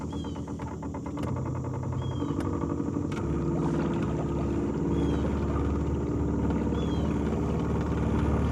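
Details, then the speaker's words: New Minn Kota Endura 30 lb thrust 12 V trolling motor on 100 Ah lead-acid deep-cycle battery, running in water: motor hum with rough pulsing thump about four times a second; smooth when run dry, vibration suspected from prop, not confirmed. "sounds like it's got a bit of vibration to it see if there's something wrong"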